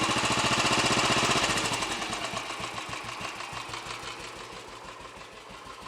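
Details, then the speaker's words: Royal Enfield Bullet 500 single after head gasket replacement, exhaust blow at head fixed, baffle removed and carb needle raised, cold on choke, idle then raised slightly: even thump-thump, crisp exhaust beat, no knocks or rattles; normal idle. "certainly a little bit more of a Boom coming out of the exhaust now than it was yesterday all sounds pretty happy with life both from exhaust and mechanically"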